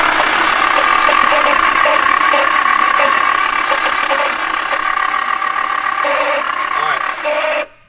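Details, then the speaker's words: Engine running a freshly made custom harness, cranked during base tune and timing setup: steady high squeal over a fast, even cranking beat of about three and a half pulses a second; starter has always squealed, cause unknown. "don't mind the squeaky starter it's always been squeaky I don't know why but RJ crank it for me"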